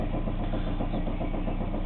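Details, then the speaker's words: Chevrolet Cavalier with spun rod bearing, at normal running temperature, oil light on and no oil pressure: rough idle with quick steady knock, audible up to about 1,500-1,800 RPM, some smoke; rod knock. "can hear the knock to about 1,500 to 18800 RPMs and you can see how bad it actually is"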